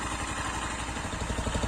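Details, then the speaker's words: Zanella ZR 150 single fitted with a Honda XR 150 silencer, which has more internal insulation, to cut decibels: steady, even putter at idle with a soft, muffled exhaust and no knocks; notably quieter than the original exhaust. "Vamos a escuchar ahí cuando aceleramos. Es notable el cambio con este silenciador."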